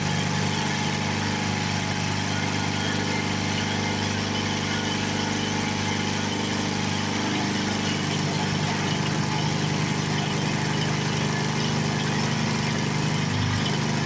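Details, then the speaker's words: 7 hp Briggs & Stratton single, revived after 15 years in a shed, bolted to a board: steady, even beat holding constant speed throughout, no knocking, hunting or smoke; running properly. "It doesn't smoke, doesn't knock, doesn't have any unusual noises, so I think it'll be a good engine for somebody or someone."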